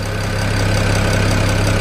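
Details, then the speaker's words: 2008 BMW 335i N54 twin-turbo inline-six, cold warm-up idle: loud fast even tick from under the intake manifold is the high-pressure fuel pump, normal; quietens when warm and pressure drops. "you guys are wondering why the such a loud tick on these motors from under the intake manifold that's your high pressure deal pump making a lot of noise but when it warms up it cuts the amount of pressure and it goes nice and quiet"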